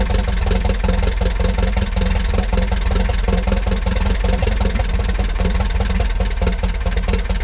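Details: 1941 Piper J5 with a Continental C85 four-cylinder engine, run after about 30 years dormant (last ran 1995), oil changed twice: low, even beat at a steady idle with no misses, knocks or rattles. It runs smoothly.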